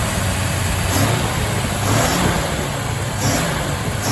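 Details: 1962 Mercury Monterey Commuter after ignition tune-up and Pertronix kit, new coil, cap, rotor, plugs, wires; carburetor unadjusted, idle suspected high: even steady fast idle on choke, smooth low rumble, no misses or knocks; normal fast idle.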